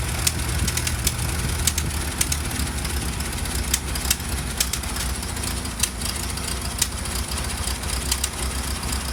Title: Model T Engine Sounds Like Popcorn Popping